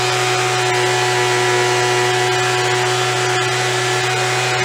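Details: After carb cleaning, carb kit and trigger modification so throttle fully opens and closes, Craftsman (MTD) B2000 25cc two-stroke blower (had "wont stay running"), warmed up: steady, even buzz at constant pitch, no surging or stumbling; fixed, running normally.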